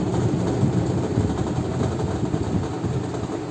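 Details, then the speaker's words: Whirlpool Stainwash Ultra 6.5 kg top-load fully automatic washing machine after gearbox replacement: even low hum and steady churn with no knocking or grinding, the earlier noise from the gearbox and bearing problem gone; running normally. "भी आवाज़ नहीं है ऐसा जो पहले starting में थी, जो गियर बॉक्स और बेरिंग की प्रॉब्लम की वजह से, तो आवाज़ ही नहीं, नॉर्मल आवाज़ है।"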